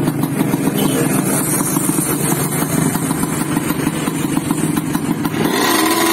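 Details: Yamaha RX-King two-stroke motorcycle (stated as 2006 and also as '94), previously sluggish from overly extreme porting, now re-bored and re-polished. A crisp, even buzz climbs cleanly in pitch as the throttle opens, with no misfire or bogging; it runs smoothly after the repair.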